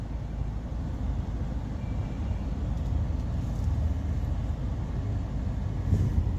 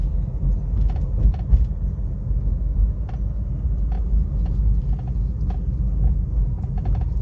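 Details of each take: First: Suzuki Baleno steering after cleaning and regreasing the dried-out steering column motor fiber pinion gear that caused a knocking noise while turning: only a low steady rumble as the wheel turns, no knocking or clicking; normal quiet steering. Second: Suzuki Baleno electric power steering column, heard at idle and while driving: sharp, irregular clicks and knocks over a low rumble as the wheel turns. Column gear grease has dried, also causing hard steering and poor return.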